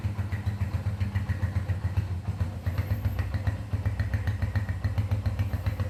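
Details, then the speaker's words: Honda CB100 K5 single-cylinder after engine and electrical refurbishment, started without throttle: small single thumps at a steady, even idle of about four beats a second with no knocks or hesitation; normal idle. "sekarang kita Nyalakan mesinnya nih tidak usah digagas karena sudah nyala pernah"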